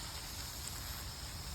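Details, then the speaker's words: Polytunnel drip irrigation system, just after the water is turned on: even, steady hiss with no surging or knocking as the drip lines fill before the hoses start dripping. "Now you can hear that hissing. You're going to hear a whine in a minute, which will be the air coming out. That's the valves doing their job. And then slowly the hoses will start dripping."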